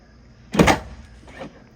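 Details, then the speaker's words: Truck tailgate swinging after fresh spray-in bedliner: single dry scraping creak then fainter rub as a tailgate part drags on the liner, which is still a little sticky. "it makes that noise and i'll show you why it's making that noise right here i don't know what exactly this is but as you can see it's rubbing against where they've installed the the liner and it just makes a little noise because it's sticking to the liner"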